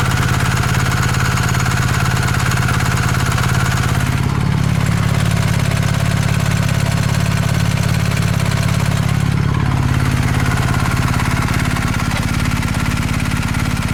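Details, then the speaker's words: Used 2019 BMW R1250 GS with about 3,000 miles, after a dealer check of a tick from the left cylinder head: steady, even boxer idle with a faint, light metallic tick on top, judged normal valvetrain noise. "you definitely hear it so it has a very slight metallic tick and i can hear it but hey this is what it's supposed to sound like"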